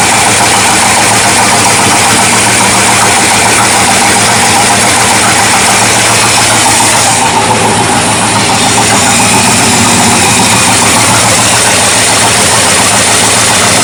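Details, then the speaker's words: 1979 Ford dentside truck with a new carburetor, after float adjustment and with the choke open: an uneven, lumpy idle with a wavering beat over heavy hiss. Owner suspects the ignition timing is still off, not a vacuum leak. "I don't think that's vacuum late I think that's just a suction from the carburetor actually I am pretty sure we still have timing issues"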